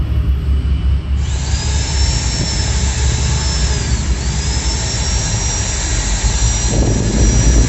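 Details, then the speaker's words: Maktec MT90/MT91A angle grinder after repairing a seized motor and replacing bearings, brushes refitted: spins up quickly to a clean steady high whine with no rubbing between armature and stator, no vibration; normal running. "Oke disini untuk suaranya normal dan gak ada getaran ya enggak ada yang gesekan antara angker sama gulungan"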